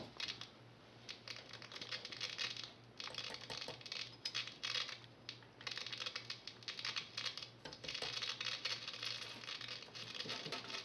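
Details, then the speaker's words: 1939 Motorola Model 52-T1 tube radio at first power-up test after bypassing the combination switch/volume control, no antenna connected: irregular crackles and pops in bursts over a faint steady hum, no program audio; cause uncertain, owner suspects the missing antenna. "i haven't got an antenna hooked up either so i may hear some crackling but yeah there is some crackling going on"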